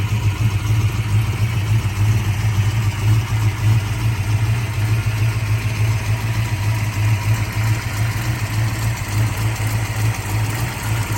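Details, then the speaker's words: 1966 Shelby GT350 4-speed with the original 289 HiPo rebuilt as a 331 stroker (forged pistons and crank), warm after a drive. Deep, lumpy V8 idle with a light valvetrain clatter: normal solid-lifter tick, healthy engine. "still solid lifter engine as you can hear the solid lifters [Music] this car is ready to go I mean it's basically mechanically brand new"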